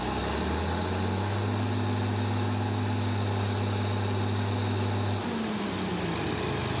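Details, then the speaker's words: Caterpillar 977H loader, D333 diesel, after cracked-head repair, with some air still in the system: a steady, even idle with a smooth low drone and no knocks or misses. It sounds better and runs normally. "a little air in it yet. I'm just going to smooth it out. That sounds better."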